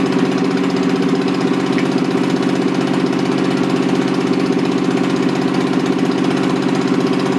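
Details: Toyota 7M-GE engine, rebuilt with valve seats dremeled, run on a furniture dolly out of the car: steady idle with a repeating lumpy beat about three times a second; pulling number three plug wire changes nothing, so cylinder three is dead from leaking exhaust valves.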